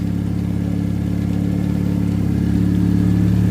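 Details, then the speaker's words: 2005+ Chevy Optra 2.0 L, started on a booster pack after over a year sitting, after the alternator fix: smooth, steady idle with a low even drone and no whine; alternator quiet and belt good, though an exhaust leak remains. "The alternator is quiet. Perfect. It work, guys."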